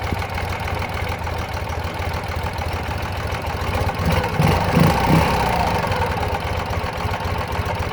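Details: 2009 Ural Sahara Limited Edition 2WD sidecar, carbureted twin, under 9,000 km, kick-started without enrichment shortly after running, chilly day: low, steady, even putter of about 160 beats a minute holding rhythm; healthy smooth idle.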